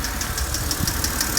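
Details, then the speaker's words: BMW N52 at idle after a first fix attempt: light, crisp ticking about six per second persists, a hydraulic lifter tick. The lifters went quiet later after repeated hard revving. "we're gonna go and see if this lifter noise is gone okay let's go and see nope it hasn't gone it's still lit so that hasn't worked"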